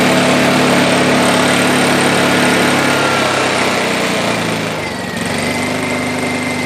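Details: Honda EU2000i/EU1000i inverter generator after a carburetor rebuild; before, it needed 45–60 seconds on choke before it would run off choke. Now it runs smooth and even at steady speed, no surging, settling cleanly as the choke comes off. Fixed.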